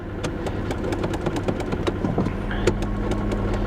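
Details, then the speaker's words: 1994 Ford F Super Duty IDI, sat at least a year: uneven idle with irregular ticks about four a second and lumpy low drone, runs badly and smokes from exhaust; rough idle, cause unconfirmed. "Yeah, she doesn't want to come out of gear, out of park, I mean. Yeah, it runs pretty bad. It runs pretty bad."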